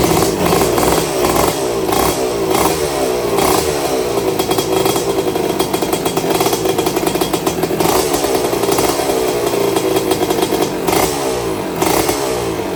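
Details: Restored 1982 Suzuki RM125 two-stroke, first engine test: crisp ringing note revving up and down cleanly, picking up briskly with no knocking or misfire; water issue still to address; normal two-stroke running.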